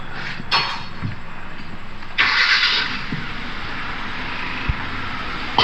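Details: 2011 Kia Forte after water pump replacement cured its "kek-kek" noise, restarted: smooth, even idle with a soft steady pulse, no ticking or knocking, a few bangs and hiss around it; engine sounds healthy.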